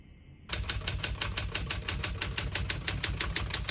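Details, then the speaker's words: 1968 Smith-Corona Super Sterling portable typewriter: crisp, even key strikes about three per second, each landing cleanly with no double hits, skipping or sticking; healthy typing action. "you can see, all the keys type nice and none of them skip or stick."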